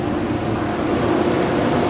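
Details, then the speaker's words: Toyota Corolla whose badly installed Chinese alarm cut the engine whenever the lights or turn signals came on; with the alarm relay bridged and all lights on, it holds a steady, even low hum with no stumbles or stalling. "Todas las luces están encendidas. El vehículo ya no falla."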